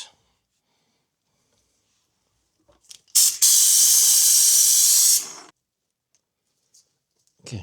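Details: Honda CB750 classic motorcycle brake fluid change: vacuum bleeder on the brake line vent gives a strong even air hiss for about two seconds, starting and stopping cleanly without sputter; pulling fluid normally.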